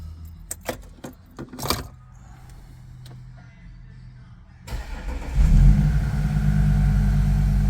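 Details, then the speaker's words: 2014 Audi SQ5 3.0 turbo diesel with very high kilometres, towed in as a crank no start: after the repair and a pressure recheck, a few clicks, then it starts first try and settles into a steady, even idle. "Oh, beautiful. First go. That is fantastic. And it sounds like it's idling very well at the moment."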